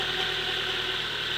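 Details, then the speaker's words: Toyota Corolla SR5 AE86 4A-C carbureted engine after head gasket, water pump, timing fix, oil change and coolant flush; short steady idle with even hum, no knocks, misses or hunting; runs good as new. "and there you have it my friends good isn't it like a lot of elbow grease a lot a lot of work but she runs good as new"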